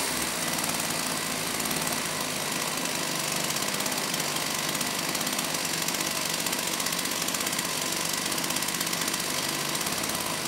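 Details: STIHL 028 AV Super chainsaw, amateur rebuild with non-OEM parts after straight-gas burnup, first start after choking; high fast buzzy rattle hunting rather than settling, running lean, improved by opening low speed screw; consistent with crankcase air leak.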